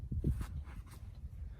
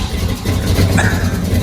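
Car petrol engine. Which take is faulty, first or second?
second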